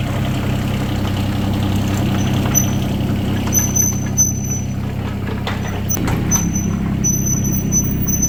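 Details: Yanmar 3TNV70 three-cylinder diesel (ex-JD Gator) just swapped into a CAT 300.9 mini excavator, idling: low even rumble, no misses or knocks, no smoke, much quieter than the old engine; healthy idle.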